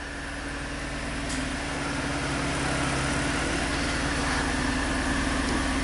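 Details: 1988 Oldsmobile Cutlass Ciera, four-cylinder with waste-spark GM ignition: lumpy, uneven idle with steady stumble, running on fewer cylinders; misfire at idle.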